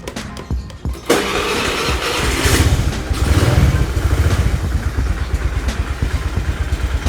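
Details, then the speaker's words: Honda Vario (carburetor) scooter after fitting TSF Racing carbon steel double CVT clutch bell and clutch lining set: engine settles into an even idle with no squeal, rattle or chatter from the CVT; clutch side quiet, rear wheel not turning. "sekarang enggak ada suara sering dan ini cenderung silent guys untuk suara dari sininya ya jadi tidak ada suara berdecit sama sekali ini mangkoknya benar-benar silent kampasnya juga benar-benar enak dari versi pt-nya juga bagus"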